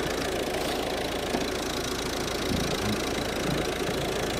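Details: Volvo V50 1.6 diesel at idle, mic close at the alternator: steady, even whir with no whine, grinding or bearing rumble; alternator sounds healthy.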